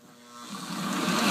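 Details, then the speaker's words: Old postwar Lionel 2037 locomotive after disassembly, gear cleaning and reassembly: the small motor spins up to an even, steady buzz with no stutter, running smoothly where it was jumping before cleaning. "foreign smoother look at that remember how it was jumping last time"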